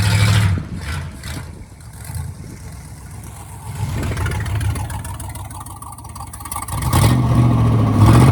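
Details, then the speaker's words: 1957 Ford Thunderbird barn-find project car, up and running again after work: a deep, even V8 burble with gentle rev rises and no knocks or misses, running smoothly. "but it's up and running again and yes it's nice to see it up and running and hear it running"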